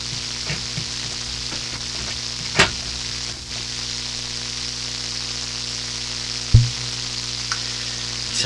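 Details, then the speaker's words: Hammarlund SP-600 communications receiver that worked the day before, on the lowest band: steady hiss over a low hum with a few pops and no station; no reception, owner suspects the local oscillator is not oscillating. "like the local oscillator is not oscillating. That's what it seems like to me"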